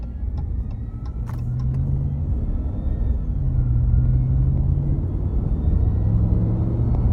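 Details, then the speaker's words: 2021 Ram 1500 Hemi eTorque at idle: engine rumble with a thin, wavering high whine, feared to be eTorque bearings but traced to a failed tensioner pulley bearing. "I got that whining sound and I thought, "Oh, man. Here we go. My etor torque is going out. The bearings are going out and it's starting to whine.""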